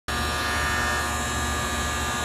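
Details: Loud, steady electrical buzz from an AC condenser contactor whose resistance tested too high; replacing the contactor made the unit much quieter.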